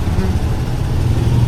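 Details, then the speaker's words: Yamaha NMAX Tech Max scooter idling after big CVT oil seal replacement and pulley calibration (pulley had stuck), sensor error cleared; low even putter, no rattle or belt slap, running quiet and smooth. "Smooth. Tama. Naging RPM na. Tahimik ng..."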